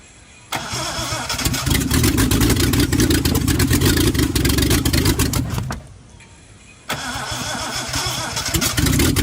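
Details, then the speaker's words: Reliant Scimitar GTE engine not run for about 25 years, after freeing the seized pistons, reworking the ignition and resetting the timing: starter cranks briefly, it catches and runs evenly, then restarts cleanly. "she runs."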